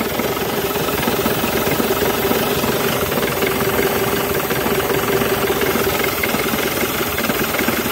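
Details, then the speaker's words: Diesel engine (Ford/Jaguar, rough idle) clatters on at steady idle with air intake/air filter box held shut; it should stall but keeps running, revealing a large intake vacuum leak (false air). "normalerweise er müsste ausgehen das sieht ja also Fallschirm kaputt er darf darf nicht weiterlaufen läuft immer noch weiter du hast ein riesen unterdruckproblem"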